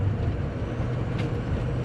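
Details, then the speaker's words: 2004 Ford F250 6.0 Powerstroke diesel after ICP sensor and pigtail, IPR harness and EGR valve reseal: deep, smooth drone under way with a steady rumble, no smoke, misfire or knocking. Normal running; a weak, sticky injector when cold is suspected. "no smoke is always a good seems to run good too it doesn't seem to miss"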